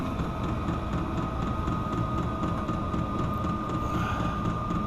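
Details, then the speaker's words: Chinese diesel air heater set to high for a heating test in a garage around 9°F: steady fan whoosh with constant high whine and soft pump ticking near two per second; running normally. "i want it to run on high for this test usually i have it running on load just to save fuel"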